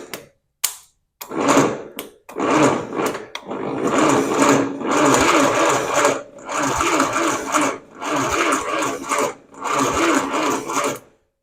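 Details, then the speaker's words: 1977 International Harvester 140 tractor on its first start attempt after revival, with plugs and carburetor refitted, out of gear and given a little throttle. Slow, laboured cranking in bursts with no catch. The battery seemed weak, and the ignition points were later found unable to fire. "Sounds like my battery's a little weak. All right, take 2. I got my jump pack on here."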